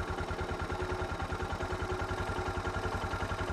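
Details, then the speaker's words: Suzuki DR650 single-cylinder at about 7,000 ft elevation: slow, slightly uneven thumping at about ten beats a second at idle. The idle speed is set too low, and it is bumped up by turning in the idle screw. "hear that he just bumped up i'm screwing it in okay let's leave it right back there"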